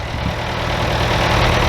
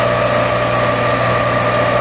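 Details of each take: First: Bobcat 825 skid steer diesel idling after cylinder seal replacement, started with ether: even, steady low rumble with no knocks or misses; normal, healthy idle. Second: Very old Bobcat 825 skid steer: the engine labours with a steady whine that shifts pitch, as if the hydraulics are going over relief. It wouldn't lift its own bucket; owner suspects a relief valve in the control valve stuck open.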